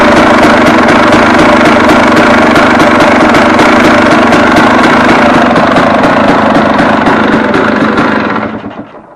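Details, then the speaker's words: KTM 250 EXC two-stroke, warmed up, 40 pilot jet, throttle blipped and released: sharp regular bangs about four a second on overrun fading as revs drop; lean overrun, owner suspects ignition-side crankshaft seal sucking air. "Um, but the bang bang bang bang bang bang bang overrun. Now, this is the first thing that struck me when I started this thing the first time."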